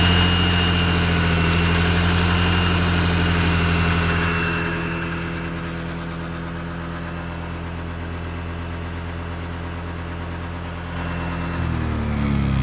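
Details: Honda PCX on center stand at idle: steady low buzzing drone that eases as revs drop and returns with throttle; source not pinned down.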